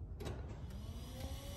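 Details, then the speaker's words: 2015 GMC Sierra with new Forenner LED 9012 headlight bulbs switched on: a faint, steady high whir from the small cooling fan inside the bulb spinning. Normal LED headlight cooling fan. "you can hear that fan I was talking about you can hear that thing spinning"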